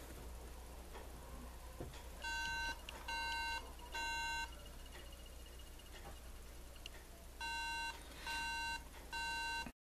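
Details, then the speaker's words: MacBook Pro that won't power on or show video: three short beeps repeating with no fan or drive noise; owner suspects RAM, unconfirmed. "tenemos tres pitidos continuos. Vamos a solucionarlo."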